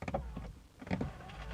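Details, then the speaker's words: BMW E90 335i, a window that won't go down: the motor whirs in short bursts with a faint gritty crunch while the glass doesn't move, a broken window regulator. "Hear that crunching? That means it's a window regulator. It's almost always a window regulator."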